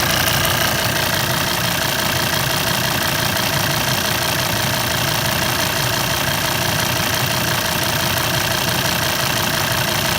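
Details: Volvo 136 kW engine idling with a light, steady ticking of about three ticks per second; owner unsure whether it is normal.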